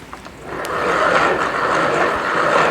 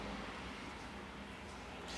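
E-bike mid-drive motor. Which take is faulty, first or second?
first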